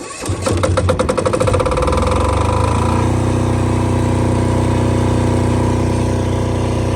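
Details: Multi-power diesel generator (generator only, not a welder, about 5,500 watts), started about 5 or 6 times: clattering crank and catch, then a steady, even low thrum with no misses or knocks; normal idle, seems to run really nice.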